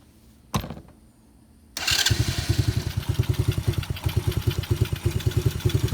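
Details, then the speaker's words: 125cc ATV after no-start repair (new relay, ignition switch, plug, carburetor, manifold gasket, battery, rectifier, fuel line, filter; rusty tank flushed), choke set: catches after a thump and settles into an even, steady puttering idle with no misses; runs normally. "runs pretty good had to flush out the gas tank it was full of rust"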